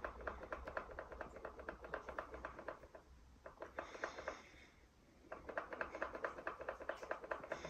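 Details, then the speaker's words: Canon EOS R6, switched off: quick dry clacking as the camera is shaken or carried while walking, from the image-stabilized sensor moving freely in its cage because it is not locked when off. "quand vous éteignez votre appareil photo et que vous le mettez en off et que vous marchez vous entendez le capteur qui se balade dans la cage il est pas verrouillé dans un coin ou quoi que ce soit"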